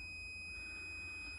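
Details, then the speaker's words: Multimeter set to continuity (buzz) mode on the yellow PWM wire of a combi boiler fan harness gives a steady high-pitched continuous buzz, confirming the probe is on the right connection with good continuity. "we've got a buzz if i disconnect that just proves that i'm on the right connection if i was on the other one on the other yellow we wouldn't get the buzz"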